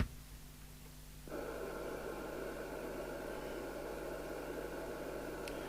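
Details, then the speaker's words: Midland 77-095 CB27/81 UK FM CB radio under repair, receiver audio through an extension speaker on test equipment. A steady hiss cuts in with a faint constant hum behind it. The detector is suspected to be out of alignment; not confirmed. "I think the detectors out on this it just sounds like that"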